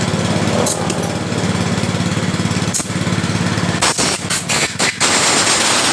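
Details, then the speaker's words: Yamaha Mio Sporty scooter that died while riding, compression, spark and fuel normal, new spark plug: rough, uneven rapid clatter, then stumbles and cuts out; timing chain found jumped teeth. "kita mau dengar sesuai keluhan pemiliknya ketika motor ini mati langsung suara kasar"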